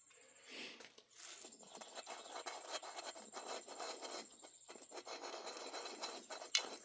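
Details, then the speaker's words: Stihl MS441 chainsaw crankshaft main bearing on the PTO side, turned by hand: gritty scraping rasp with faint catching clicks over grooves and hard spots, where a good bearing is silent; badly worn bearing. "okay, a good bearing should be pretty much silent. This one's really bad. Again, these tend to blow up on the PTO side, and this one I can feel it. It's got some clicking in it, like you can feel it's getting over grooves."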